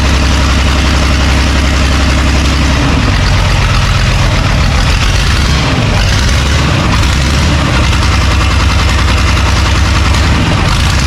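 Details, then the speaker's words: John Deere 3130 diesel tractor, first start, timing checked, fuel leak-off pipes brittle and leaking diesel; heavy even clatter settling to a steady idle, no misses or knocks. "Oh, he runs."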